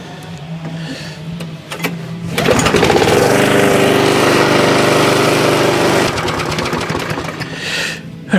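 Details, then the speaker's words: Rover lawnmower with Briggs & Stratton engine, warm restart after a carburettor overhaul fixed air leaks and hard warm starting; fires straight up and runs steady and even for several seconds before shutting down. Problem solved. "we can call that a success so must be time for lunch thanks for watching [Music]"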